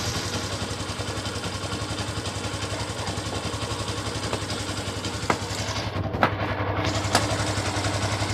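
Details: Engine at idle: even idle with a light, regular clatter of a few taps per second; tensioner suspected as the cause, not confirmed.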